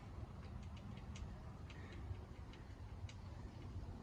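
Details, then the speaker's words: Foxbody Mustang front end after new K-member and suspension install, spare wheel spun by hand: faint light ticks about every half second, something catching at hub or wheel; owner hopes it's the wheel, suspects hub may be bent. "Jeez. What the heck's that noise? Is that that? What the heck is the noise? Shoot, I don't know. But jeez. I mean, hopefully that's the wheel."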